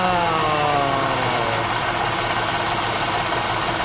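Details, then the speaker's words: Jeep Liberty idling during a DIY refrigerant recharge for AC blowing warm, with pressure reading in the green: a busy mechanical rattle and a faint falling tone; owner suspects a noisy AC compressor, not confirmed. "The compressor itself, the the pump is very noisy. Like a rattle noise."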